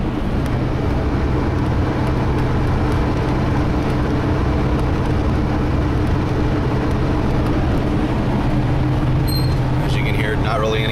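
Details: 1996 Ford E-350 van at 65 mph in overdrive, listening to the rear drivetrain: only an even tire and road rumble, no whine, howl or clunk from the rear axle, which sounds healthy.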